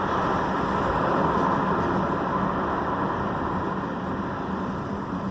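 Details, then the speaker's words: 2011 Ford Edge front-wheel noise, in traffic: rough steady grinding growl under road noise that continues while braking and accelerating; suspension shop found nothing. "e o pior não é isso eu piso no freio acelero acelera o barulho não para"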